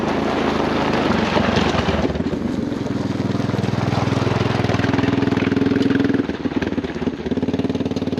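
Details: 1996 Honda FourTrax 200 Type 2 ATV after battery, carburetor, JB Welded cracked intake and rear sprocket; single-cylinder thumps steadily at idle, picks up briefly then settles, firing even with no knocks or misses, normal idle.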